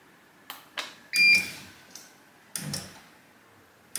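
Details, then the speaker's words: Bosch dryer (E90 error), drum motor tested with drum inside: sharp relay clicks as the motor gives short hums but never starts; suspected electronic board fault, motor start capacitor measured 8.9 µF and tested good. "mutta sitten kuulet napsautuksen kuulet releen naksahduksen avaa ja sulkee korin joten testataan ensin korimoottorin käynnistyskondensaattori"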